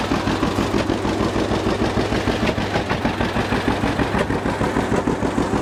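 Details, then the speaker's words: 1950 John Deere GW two-cylinder tractor with Baker valve, clutch engaged in neutral: slow, even pop-pop beat at about three pulses a second, steady and unbroken; a healthy old two-cylinder idling smoothly. "so this is good running old g let's check it out a little bit just listen to it and i'll show you around"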